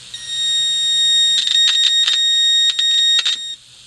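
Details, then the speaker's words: Mayfair FT-102A rim-drive tape recorder amplifier after fitting a quiet RCA transistor, signal injector at the first transistor input: steady, loud high tone with brief scratchy probe-contact breaks; stage passing signal properly. "and now here's the input for the the first transistor that's in the amplifier that's loud"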